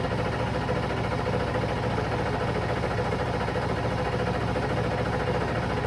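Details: 7.3 diesel cranking with a steady, even churning of about 105 pulses a minute that never catches or picks up speed; crank, no start.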